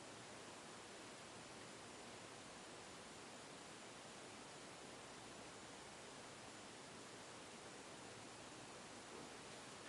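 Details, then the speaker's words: 1991 HRS (Heat Recovery Systems) L-356 industrial ceiling fan after bearing replacement, at speed 3 then 4: steady, even airy hiss with no ticking, rumble or grinding; new bearings very quiet and healthy. "no.3 as you can hear the bearings are very quiet speed number four"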